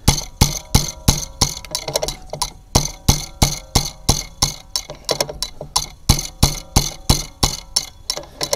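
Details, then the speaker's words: Bobcat Delphi common-rail injector on a bench test kit, firing around 4,000 psi: crisp, even pops with a sharp chatter on each stroke and very little back leak. It is spraying properly. "now let's see if we can pump this up and get a good spray out of the nozzle oh yeah so this one likes to fire around 4000 psi"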